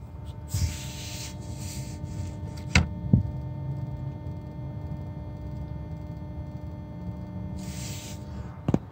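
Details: 2012 VW Tiguan TSI 4motion, engine off, key in first position: a steady low electrical hum, loudest under the car near the oil pan; owner suspects the oil pump, as vibration is felt there. Battery drains in 40–60 minutes. Cause unconfirmed.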